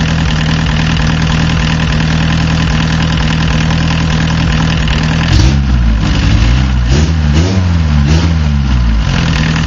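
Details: Warm diesel car that starts easily but misfires at idle and low rpm once warmed up: uneven, stumbling beat that smooths slightly as revs rise; owner suspects a bad injector with poor spray pattern at low fuel delivery.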